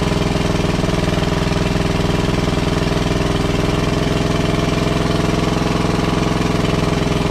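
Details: WWII Chore Horse 300-watt battery charging set, model CH1 395-5, original 1940-41 paint, after slight throttle-screw adjustment: steady, even single-cylinder chuff at constant speed, no misses or knocks; runs cleanly and smoothly, works great.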